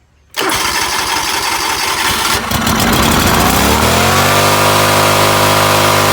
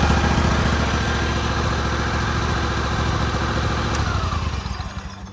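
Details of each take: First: John Deere LX188 riding mower small engine running at fast, uneven, unsteady rpm; fuel present with a new fuel pump, and the faulty carburetor fuel shutoff solenoid proved to be the cause of poor running. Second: John Deere LX188 after pushing the displaced governor pin back in: single-cylinder thump settles into an even, steady idle with no hunting or surging, then winds down; governor fix restored normal idle.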